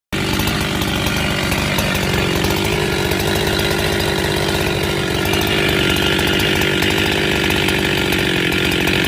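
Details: Husqvarna 372XP chainsaw after rebuild: crisp, steady high two-stroke scream holding even revs under cut, no surging or sputter; running healthy.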